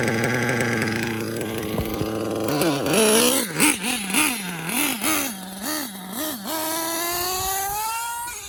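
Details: RC car K5.9 nitro engine with LRP 32 Spec 2 carburetor and hot glow plug, after leaning/retuning the low end: revs blip cleanly and evenly then a steady rising rev; tune now better.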